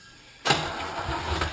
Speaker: notice how lumpy it sounds because we're coming up against compression